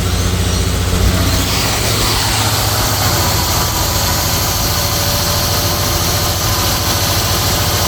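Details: 1988 Jaguar S3 V12 first start after 7 years stored, fuel changeover valve bypassed, primed; loud, dense, uneven lumpy idle popping on left bank, running rough; owner suspects cold start sensor or fuel rail, not confirmed.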